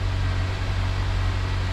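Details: 2007 Honda Accord 2.4 cold idle around 1500 rpm, slightly fast, after new O2 sensor fitted for misfire code; steady even hum, no stumbles or skipped beats; healthy, scanner shows no codes stored.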